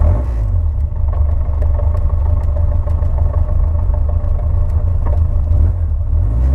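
Low rumbling engine run with uneven pulsing and occasional sharp ticks over the rumble, suggesting a misfire; cause not confirmed.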